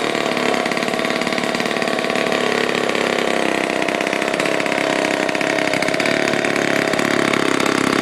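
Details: 1949 Lombard one-man chainsaw, Homelite-powered two-stroke, rebuilt with all-new internals after being seized, first start: fast buzzy note holding steady, crisp even firing, no misses; healthy running saw.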